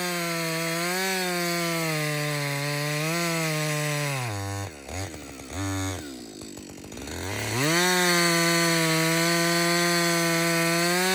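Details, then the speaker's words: Husqvarna 562XP two-stroke chainsaw after a shop software reflash for dying when hot and stumbling: a high, steady howl bogs as the chain bites wood, then clears straight back to full revs. Runs clean and strong under load. "so this is a real life scenario right we're cutting we're cutting yeah you keep working this is really the First full tank I've run through"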